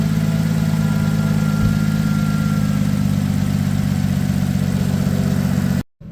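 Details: 2007 Ford Edge SEL AWD 3.5L V6 idling smoothly after replacing the cylinder 6 fuel injector (open/short circuit code, rough idle). Deep, even drone with a steady firing beat and no miss; injector pulsing felt at the connectors; check engine light no longer flashing.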